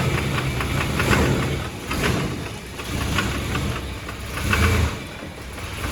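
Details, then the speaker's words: Chevrolet S10 crew cab with 4.3 V6 at idle: light, fast ticking over the steady rumble, pacing with engine speed, suspected lifter tick; quieter after adding about a quart of thick Lucas oil but not gone, valve cover later off showing no damage. "And the worst thing about it is it's got an engine tick, and that's got to go."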